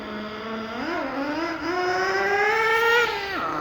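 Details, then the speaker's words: Thunder Tiger EB4 S2 nitro RC car with aftermarket exhaust, warming up in cold weather: high buzzy engine swings up and down in pitch, soft and burbly; owner suspects it is running a little rich and needs tuning. "I think it's running a little bit rich at the moment, so we'll adjust that."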